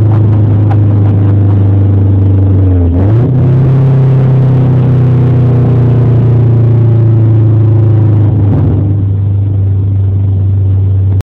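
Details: Honda Civic four-cylinder (V16A) with a badly blown exhaust: loud, deep, blatty rumbling idle with a brief rev, from an exhaust leak.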